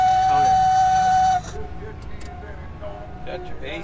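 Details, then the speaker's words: Heavy vehicle being driven hard during a recovery, AC on: steady high whistle at one pitch for over a second, then stops; engine said to be overheating, cause unconfirmed. "So, say, what's that sound? Oh, it's, you're overheating"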